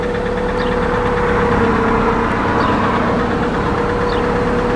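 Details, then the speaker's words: 2001 Toyota Highlander 2.4 L, jump-started after battery died with the battery light on, check engine light on: steady idle with irregular light knocking about four per second over engine hum; knock present, cause unconfirmed. "okay so now we can start the engine man this engine is knocking so check engine light is on"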